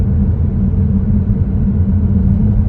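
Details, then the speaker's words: Tesla Plaid at 12.5K miles with camber spacers, new non-sound-deadening Goodyear 295/30/21 all-season tires, at 60-65 mph highway in medium ride height: constant deep drone with low humming resonance; tire road noise. "resonance or something that I don't remember being there before. It's persistent, but honestly, if I wasn't looking for it, I don't know that I'd even notice."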